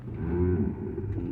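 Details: 2005 Chevrolet Silverado: low, moaning groan with wavering pitch when stopping slowly, with a spongy-feeling, moving brake pedal and warning light; points to the ABS pump running.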